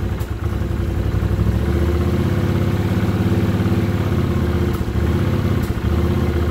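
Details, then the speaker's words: 1979 Honda CX500 Custom that hasn't run in 2 years, newly rebuilt carbs, tried with and without choke: lumpy, uneven running with a few sharp pops breaking the engine beat. Backfiring, cause unknown; owner may richen the mix screws. "I'm not sure what the backfiring is all about. I never used to do that. So, we'll just have to wait and see how it clears up."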